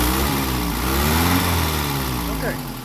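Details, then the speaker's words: 1948 Peugeot 202, first run after revival on choke: rough choked idle with a puffing, raspy edge low under the car; little comes out the tailpipe, an exhaust leak low down. "very exhausting not a lot coming out the pipe it's probably all coming out to leak sounds like it's coming out right down here"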